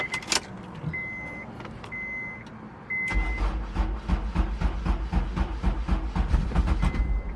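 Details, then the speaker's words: Honda S2000 (AP1) with the stock ECU and a 4-bar MAP sensor: after the door chimes the starter churns at about four beats a second and the engine barely fires. Hard start; fuel and air are present, and the owner suspects the MAP sensor or ECU. "So now it's not going all. You saw a little bit, but it's not going how I was doing it earlier. It's like barely wanting to start,"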